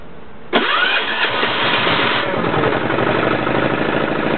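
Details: Yanclone Suntom 186CF 406cc single-cylinder diesel in a Royal Enfield motorbike, second test run after rebuild (injector, fuel line, head gasket, crankcase gasket replaced, valves decoked): catches instantly and settles into an even idle, no misses or knocks; oil pressure light goes out.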